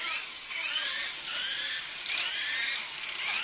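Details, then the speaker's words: Blade MSR X RC helicopter after replacing mainframe and swashplate following crashes, test flight spool-up: high whirring with rough fluttering chatter over the motor whine; rotor head chattering, cause unclear. "Getting a lot of chatter for some reason."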